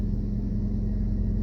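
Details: 2001 Toyota Camry idle after fixing erratic RPM by replacing the timing belt, roller and pulley and fitting correctly rated fuses: a low, even rumble at steady speed with no hunting or surging.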